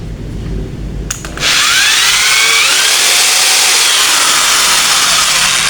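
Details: Modern M2130B electric drill, dead before, repaired by fixing faulty switch or its cable, reassembled and plugged into mains: a click, then a steady high whir at even pitch with no grinding or stutter; running healthy.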